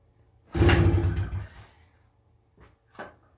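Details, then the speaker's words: 1977 FL250 ATV, throttle zip-tied, choke on, pull-start: short rough firing burst then two faint pops and dies; owner suspects rusted, cracked carburetor with broken middle jet nozzle. "She barked 2 times there."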